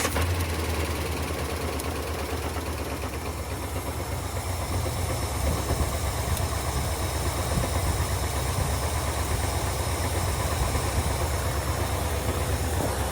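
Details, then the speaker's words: Engine with Holley 4-barrel carburetor after fast-idle (choke idle) screw adjustment: steady, even fast idle around 1,000 rpm with a smooth, regular beat and no stumble; running right. "Just from sound, that sounds a little better. It's 1,000 RPM. I think that's good."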